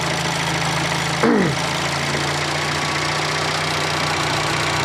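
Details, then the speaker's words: Fiat Panda 4x4 Sisley after throttle-body fuel injection conversion, cold start without choke, fuel pressure about 10-12 psi: smooth quiet idle, steady hum with faint normal injector ticking, nothing knocking; normal idle. "um as you can hear it runs nice and quiet there's no really any noises or anything you can hear the injector ticking which is normal"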